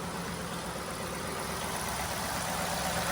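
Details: Ford F-150 V8 after repair of a ticking "traca traca" knock: even, steady idle hum with no knocking; fixed by correcting chain parts that had been installed reversed, after earlier chain replacement.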